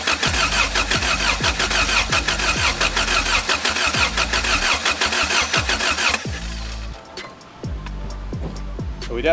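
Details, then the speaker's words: Engine with an H-series distributor, battery very low on cranking amps: starter turns engine over in steady even beats but it never fires; no spark, distributor igniter suspected. "all right stop good all right we still do not have spark"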